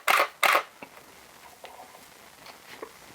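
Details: Canon 6D Mark I, after a DIY repair of the stuck front control dial, with a 24-70 lens fitted: two crisp, fast shutter clacks in quick succession, then faint focus ticks in a quiet room; the shutter fires cleanly and normally.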